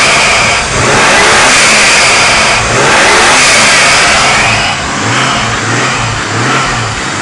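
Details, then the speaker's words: 1987 Toyota 7M-GTE engine on a test run, revved in blips: a rising hiss on each rev and a blow-off whoosh as it drops back; the turbo spools up quickly and cleanly, though knock and temp sensors are still needed. "turbo spools up you can hear the blowoff actually hit and it spools up quick so perfect running engine just needs that knock sensor and the temp sensor"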